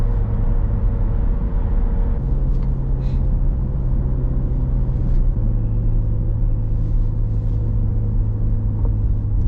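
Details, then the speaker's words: 2015 Corvette Stingray at 39k miles, driving: steady low roar, unchanged on or off throttle, pitch changing when cornering as bearing load shifts; owner suspects a worn wheel bearing, which of four still unknown. "even right there we hear that roaring noise and it don't make a difference on or off the throttle so i suspect that it's a wheel bearing"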